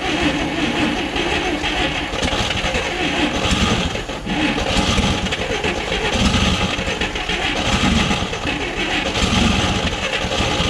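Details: 1959 Chevrolet Apache, original straight-six with one-barrel carb, after roughly 36–40 years sitting: engine runs ragged, surging and sagging, won't hold a steady idle; owner suspects the idle circuit isn't working well.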